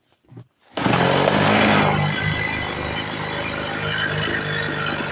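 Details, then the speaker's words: Freshly reassembled Stihl MS 180 chainsaw after carburetor idle-speed adjustment, on its second tank of break-in fuel, started without choke. It catches cleanly and settles into an even, buzzy two-stroke idle with no misfires. Fully functional: normal idle. "Pila je poskladaná, plne funkčná, beží. Ešte nechám vypáliť jednu nádržku benzínu celú."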